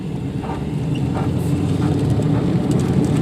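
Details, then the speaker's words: Probably 2005 Nissan Sentra: deep, steady droning growl swelling with road speed, no knocking; suspected badly worn wheel bearing, likely more than one, right front felt rough when spun by hand; brake pedal also rock solid. "This is probably the worst wheel bearing noise I've ever heard, if it is in fact a wheel bearing."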